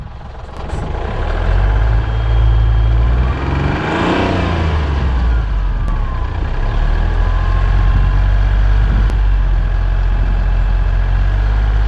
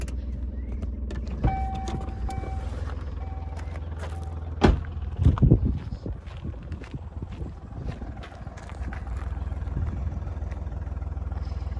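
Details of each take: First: Hyundai Matrix diesel, over 203,000 km, revving in a car park: faint high whistle rising and falling with revs plus white and black exhaust smoke; faulty turbocharger, replaced. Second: Hyundai Matrix diesel, over 203,000 km, started after turbo replacement and an oil change: a few clunks and a brief rev as it fires, then a low, steady idle holding even with no misses; the smoke and whistle problem is fixed.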